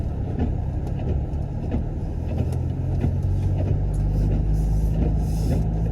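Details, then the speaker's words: BMW E90 running in the rain; low, even engine rumble with a steady beat and no knocks or misses, sounds so nice, normal running. "Y'all hear that? Sounds so nice."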